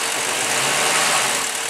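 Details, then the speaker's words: Mid-mileage 2003 Chevy 6.0 L LS V8, from a burned truck, running on engine cradle with standalone harness, about 40 psi oil pressure, check engine light on: smooth quiet hiss-heavy idle, no ticking or knocking after throttle snaps; healthy engine. "what we're really listening to is the engine nice and quiet give it a couple snaps ready wait"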